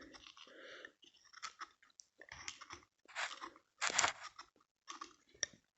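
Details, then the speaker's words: 1985 Ford F-250 6.9 IDI diesel in winter without anti-gel additive, fuel filter removed and pushed in: gritty crunching like slush inside, ice and gelled diesel clogging the bottom of the filter. "That's all gel. That's a whole bunch of ice that's down at the bottom."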